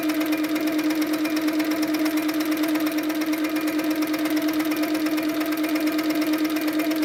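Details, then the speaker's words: Handi Quilter Sweet Sixteen, after tightening the top tension about a half turn more. Even, steady whir with a quick regular stitch beat and no knocks. No pink dots show on the back, so tension is perfect. Normal stitching. "I can't see any little pink dots at all so I know now that my tension settings are perfect they're spot on"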